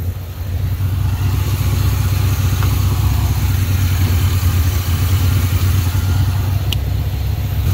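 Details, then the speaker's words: 1980 Pontiac Trans Am Turbo 301 V8 after sitting 18 years, idling on the alternator after the booster is disconnected, not overheating: steady, smooth low rumble with even firing and no misses or knocks; normal idle. "just amazing 18 years and it's just sitting here effortlessly idling away that's it's that's just fantastic"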